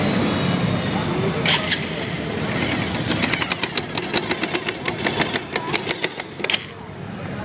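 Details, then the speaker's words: Motorcycle after an oil-change service at an unknown mechanic, riding: loose, uneven metallic tak-tak clicks about two per second from inside the engine, bike losing power and stalling; cause suspected, not confirmed. "भी कटकट आ रही है ना चलने पे इसमें कटकट आवाज फील हो रही है आवाज आ रही है कटकट और आगे नहीं बढ़ रही बंद हो रही है"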